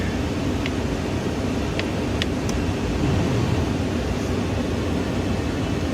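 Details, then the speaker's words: 2001-2005 Range Rover climate control after fitting a used replacement control unit: blower airflow steady, audibly changing as fan speed is stepped up; blower and controls working normally. "if i can hear a yeah so that works i can hear the change"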